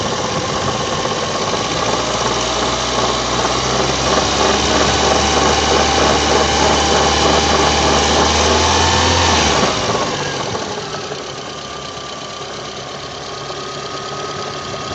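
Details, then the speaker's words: VAZ 2109 (Lada) alternator, new, under 10,000 km: no knock at the lowest idle, but a steady hum and fast regular knocking (about 200 a minute) start once revs rise a little, easing as revs drop; loose alternator mounting bolt. Owner first suspected bearings. "на минимальных не слышен стук а вот чуть добавить оборота начинается"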